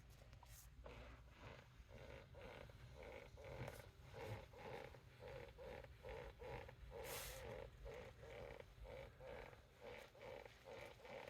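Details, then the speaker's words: Rivian R1T at about 8,100 miles, climate off: short rhythmic creaks about twice a second as weight shifts in the driver's seat over a quiet cabin; service proposed replacing the whole seat, passenger seat does not do it. "actually I'm not sure if you'll be able to hear it but the driver's seat is making that like like listen to this"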